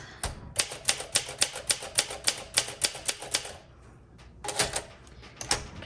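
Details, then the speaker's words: 1962 Olympia SM5 manual typewriter, well-used with scratched finish: sharp, even keystrokes about three a second in runs, snapping cleanly without sticking or dragging; typing feels really good, normal. "This feels really good, despite having some other quirks, such as the scratches on the finish, and I don't remember what else we covered. The typing, the keystroke is so nice."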